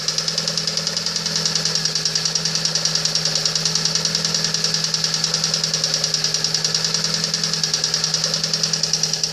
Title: Стук двигателя приора